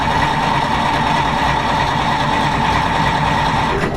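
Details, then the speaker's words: 1940s Dodge army truck sitting 30+ years, 6-volt system, starter commutator cleaned, coil wire replaced and coil tested good: even starter cranking about four beats a second with no firing, no spark; owner suspects the old plug wires. "But I'm still having the spark issue. Replaced the coil wire. Coil I have tested, it is good."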